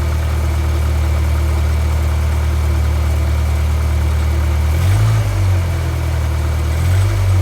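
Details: 2G Mitsubishi Eclipse running again after a long crank-no-start and a piston ring replacement for low cylinder-three compression: a smooth, even idle with a steady low throb, then clean quick revs that rise and settle without stumbling. Healthy.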